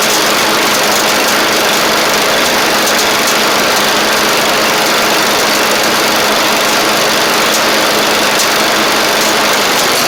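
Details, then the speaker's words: 7-year-old MTD Murray riding mower with a 38-inch deck and a newly fitted deck belt, blades engaged: a steady, even engine drone with no knocks or surges. It ran a couple of minutes and everything seemed all right. "two ch I mean I just ran it for a couple minutes there and everything seems all right so that's good"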